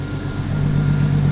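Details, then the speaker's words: Four-door JZ six-cylinder car after exhaust upgrade to tame loud drone: deep even exhaust note, smooth rev rise, no boomy drone; quieter, normal rev. "it finally sounds like a damn Jay-Z it's not good the sound finally matches the car no more trombone"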